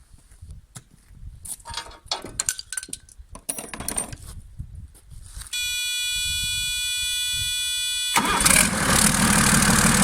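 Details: Freshly marinised 12V Cummins 6BT boat diesel, fuel pump screw turned up a half turn: after handling noise, cranks, catches quickly and settles into a steady, even idle with no misses; normal start.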